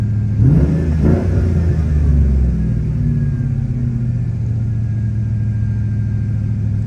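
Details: 2000 Silverado 5.3 Vortec LS with a Stage 3 cam and 92mm throttle body: revs blip, then hang at a raised idle for seconds. Idle is stuck high; the owner suspects the throttle position sensor or idle air control valve.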